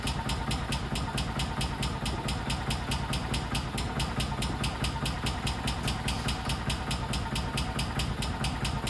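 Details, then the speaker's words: 1999 or 2000 Kawasaki Mule 550, first start after sitting 2-3 years, on half choke: steady sharp tapping about twice a second over a rough idle; owner suspects an upper-end knock, and it went away with throttle. "It's idling though. That's a start. To be honest, that kind of sounds like a knock from the upper end."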